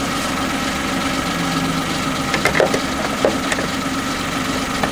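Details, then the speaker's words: Kia engine idling with a steady hum and occasional sharp knocks breaking through; the owner thinks the knock has, if anything, got worse, and it still needs investigating. "start up i think if anything has got worse"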